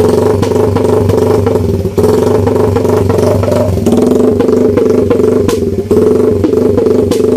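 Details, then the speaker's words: Idle after basic NK ECU tuning, with the idle roughly dialed in but not yet confirmed. Quick, fairly even exhaust pulses of about four per second with a couple of small dips. Reasonably settled normal idle. "Try natin yung idle. Ito yung idle natin. Natin mga Joy, ito yung nakasit up sa idle natin. So ito yung tunog."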